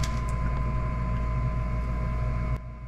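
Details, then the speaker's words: Gas furnace on a no-heat, won't-ignite service call: the inducer motor, the first thing to run on a call for heat, gives a steady low electric hum with an even tone and no scraping or wobble, then cuts off; it is running properly. "is what the inducer motor looks like. This is the first thing that's going to run once your thermostat calls for heat."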